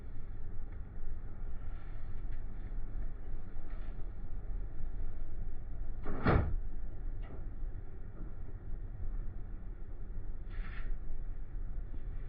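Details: Mahindra Bolero Neo N10 left/conductor-side door that rattled on rough roads, test drive with the suspected loose part held still by hand; steady low road rumble with one brief click, no door rattle.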